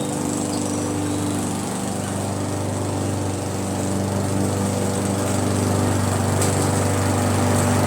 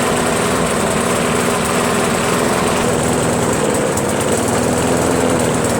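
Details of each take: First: Briggs & Stratton mower with Pulsa Jet Prime plastic carburetor, after replacing diaphragm and gasket: smooth even buzz at steady speed, no surging or misses; runs perfect now. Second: Briggs & Stratton Pulsa Jet Prime mower engine, before repair, after sitting a while: starts, then runs lumpy and wavering, very rich; owner's theory is a worn carburetor diaphragm and gasket.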